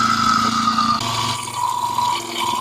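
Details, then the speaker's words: Vacuum pump evacuating a GMC/Chevy C1500 A/C system after condenser and compressor replacement: steady electric hum whose mid-pitch tone shifts as maximum vacuum nears; pulling down evenly, system holding vacuum. "You can almost hear it in the vacuum motor. When the pump reaches maximum vacuum, it makes a different tone."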